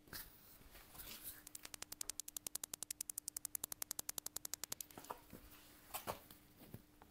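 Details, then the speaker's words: BMW parking sensor, ignition on and in reverse, ear pressed to the bumper sensor: quick, even ticking at about four per second. The sensor is clicking normally. "if you can hear all the sensors working and clicking that means none of them are bad and it's most likely that one of them is just clogged up"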